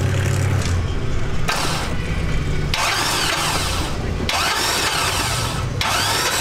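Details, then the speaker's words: Nitrous LS 4.8 V8 in an S10 truck, hydrolocked after water got past an unbagged air cleaner. Plugs out and spark unhooked, the starter cranks in steady bursts with no firing as water spits from the cylinders. "we're gonna turn the motor over i unhook the spark so we don't got no spark hopefully it kicks a bunch of water"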